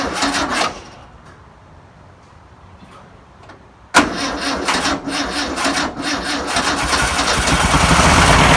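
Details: 1962 VW Type 2 bus engine, first start after over 40 years, with new belt, cleaned points and fuel poured in: after a pause it catches and settles into a steady, even, lightly pattering idle; normal idle.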